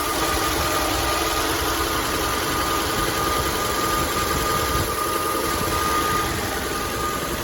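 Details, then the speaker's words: 1964 Chevrolet C20 engine after sitting 19 years, running after fuel line leak fixed: rough, uneven, very noisy idle with loose ticking and thin whistle, smoking; owner hopes rings will free up, cause unknown. "oh she is very noisy that's a whole lot of Bullseye but foreign"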